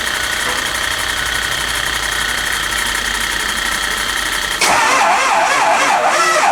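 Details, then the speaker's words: Early 2004 Ford Excursion 6.0 Powerstroke diesel, sat a while, no start, new battery fitted: uneven cranking that shifts speed and never catches; mechanic suspects a blown head gasket and plans an oil sample for coolant. "often times it'll you'll want it to sound smooth when it's cranking over otherwise if it's got a dip or a changeing RPM it might have a dead cylinder or a blown blown head gasket"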